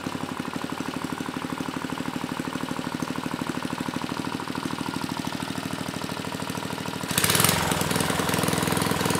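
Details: Mid-1980s Troy-Bilt Junior tiller, 3 hp Tecumseh HS35 engine (H35-45593R), after carburetor cleaning; pilot needle tuned, idle about 1,000 RPM. Steady, even low putter, then a brief rev blip near the end; runs clean, normal idle.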